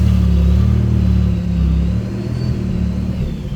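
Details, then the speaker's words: Chevrolet Camaro RS at auction, 86,000 miles, check engine light on: deep, flat rumble that swells when revved then sags off without much bite; engine sounds weak and short on power, cause unknown. "Oh, that sounds so weak. That sounded. Look at that."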